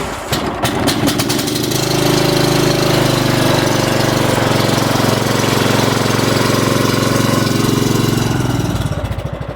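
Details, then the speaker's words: Cub Cadet walk-behind with 40cc engine, running after repair: the small single-cylinder engine catches within a pull and settles into a steady, even run with no misses or knocking; starts right up and runs great. "this is my Cub KET walk behind lmart 40cc we got it running watch this starts right up"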